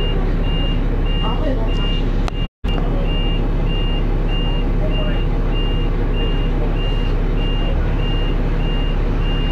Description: There was an alarm going off on the dashboard, and the driver called the depot I think, and he mentioned something about temperature!